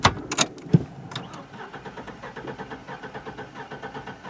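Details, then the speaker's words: 2004 Chevrolet Trailblazer 4.3L V6, no power, front catalytic converter gutted; after skipping on a steep uphill under load, quick relative compression test while cranking: uneven beats, some strokes weaker; cylinder 3 lost compression, suspected sticking/hanging valve. "We have that again set on cylinder number 3, and we can see just by pulling over, doing that quick relative compression test, that obviously cylinder number 3 has a problem."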